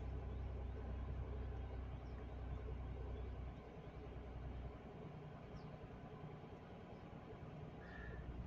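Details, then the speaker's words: Renault Triber 1.0-litre three-cylinder, cold start, heard around 1000 rpm: low, even hum with a slight drop in pace partway through; a normal fast idle from cold settling down. "अब धीरे से यह jar PM से नीचे 800 PM 9 4 p.m. के बीच में जाएगी लेकिन अभी हजार के आसपास है"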